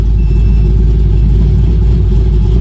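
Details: 2001 Pontiac Firebird Trans Am, newly built 6.7L LQ4 408ci stroker with bigger injectors and lower compression, running while the tune is redone, still slightly lean: loud deep uneven idle with a rough chop, big-cam lope.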